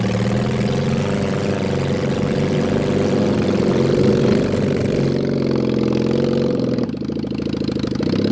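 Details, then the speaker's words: Mid-1970s Honda CB750 SOHC 750cc engine swapped into a 1980s Suzuki Quad Sport 230, first ride, no real exhaust, worn points ignition, carburetors suspected; uneven lumpy misfiring running that shifts with throttle, very loud. "uh it runs like garbage but uh i mean you were still able to jump in and do bootlegs yeah yeah it's uh pretty fun it's pretty loud we need to work on that"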